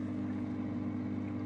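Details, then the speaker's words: Dynamic Power/SunSun HW304 canister filter after fixing its common rattle: steady low motor hum with no rattle or buzzing; the pump runs smoothly and quietly. "Moment of truth, it's turned on. It's humming and there's no rattle, which you all already knew because I posted the video."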